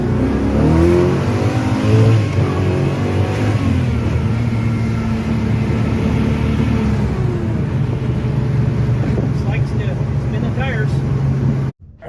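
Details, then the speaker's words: '55 Chevy Bel Air hardtop with Edelbrock AFB-style carb before repair. On launch the revs climb, hesitate and flatten, then pull again: a bad flat spot or stumble off the line. Owner hopes a new throttle pump will fix it; cause not confirmed. "the car's got a real bad flat spot or a stumble off the line and I'll go ahead and show you the video right here"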